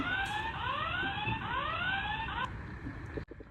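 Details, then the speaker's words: FA2000 face/fingerprint/card access control terminal, powered on off the wall with its rear anti-tamper button released: loud repeating rising electronic siren; stops once wall-mounted so the button is pressed. "Why does it keep alarming after powering on? It's not broken because of this anti-tamper button on the back."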